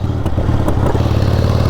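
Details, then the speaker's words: 1978 Harley-Davidson Sportster XLCH with about 33,000 miles on the odometer, while riding: a few sharp pops break through the V-twin rumble under road and wind noise; intermittent popping, thought to be from the carburetor, unconfirmed. "popping I don't know"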